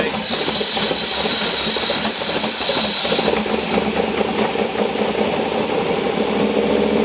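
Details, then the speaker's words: LS7 V8 in Chevrolet S10 with new idle air log, dead cold start around 50°F; thin steady high whistle over a smooth idle near 500–600 rpm with IAC fully open; throttle blades suspected too tight when cold. "so I'm good our dove dead cold show you whistling noises the iock open all the way"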